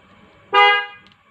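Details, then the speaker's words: Toyota Innova that won't crank: one strong, clean half-second horn toot at full volume. A normal horn means the battery is fine, pointing the fault toward the starter motor. "Kalau masih bunyi klakson seperti biasa saat unit masih normal Om ya, yang di start masih bisa hidup, itu menjurus Om ya ke penyebabnya ke dinamo start Om."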